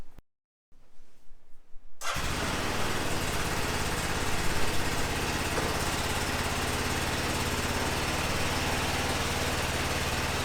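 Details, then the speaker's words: 2005 Honda TRX650 Rincon, 650cc single-cylinder four-stroke, revived non-runner: cold start with choke on, in neutral, old fuel line still fitted. It cranks, catches within a second and settles into a steady, even idle. It runs fine, though the carb may need slight tuning. "oh sounds pretty good huh need to let it warm up"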